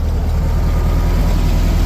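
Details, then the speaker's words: 1973 VW Beetle flat-four that wouldn't stay running, after correcting firing order 1-4-3-2 and resetting distributor (untimed), in neutral: low, steady, even idle with no stumble; smooth idle. "Listen to how smooth that is. Holy smokes."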